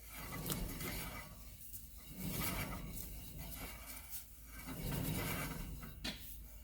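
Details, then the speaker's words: 2016 Subaru Impreza, 2.0 L with CVT: rear wheel spun hard by hand in a quiet shop, rough gritty grinding/gurring swelling and fading with rotation; worn rear wheel bearing, hub assembly to be replaced. "Now, it may be hard to hear on camera, but you can hear the gurring or sort of grinding of the bearing that is occurring."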